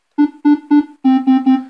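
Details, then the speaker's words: Korg Minilogue with envelope attack and release turned up slightly: six clean synth notes starting and ending softly with no VCA clicking or popping, at the cost of punchy attack and release. "that gets rid of it you w hear it up close no popping or clicking there but the problem is you lose that Punchy attack and release that you want"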